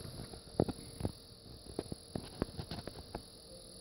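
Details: About 5-month-old TriCaster Mini: quiet hum with irregular sharp ticks, a few per second, as if something is caught in the fan, started two or three weeks ago; source not confirmed.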